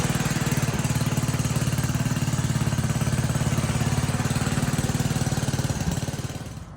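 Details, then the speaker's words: 1960 Wheel Horse Suburban 400 garden tractor, restored, Kohler single-cylinder engine, recorded from a tripod after start-up; steady regular thumping at fast idle, dying away at the end; healthy normal running. "Well, as you can tell, it runs and moves and idles up and down with the throttle."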